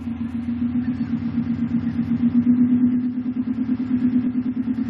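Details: 2005 Subaru WRX STI cold start with rough, hunting idle pulsing about three times a second, which happens on every cold start and then stabilizes. It began after a Grimmspeed air-oil separator install; a ROM reader showed excess fueling, and the owner suspects an install-related leak.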